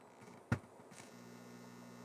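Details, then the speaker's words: Nintendo Famicom after a composite A/V mod, console reset: a sharp click, then a steady low buzz that holds without fading; heavy audio buzz on the output, later checked with a scope at the installed DC-blocking capacitor. "There's a ton of audio buzz on here. Well, that is interesting."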